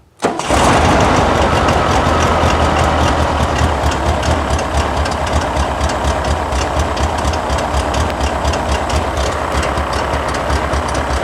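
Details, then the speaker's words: Fuel-injected 1979 VW Super Beetle, off the road about eight years and fire-damaged: it fires straight up into a rough, lumpy idle and runs rich immediately. The owner plans to swap the air flow meter and is considering a carburetor swap. "I mean it's immediately Rich"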